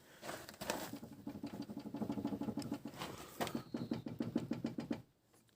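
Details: Quick, loose metallic rattling about six or seven knocks a second from the rear strut area; the owner suspects something loose or hidden in the lower part, possibly a cable, and is securing it to test.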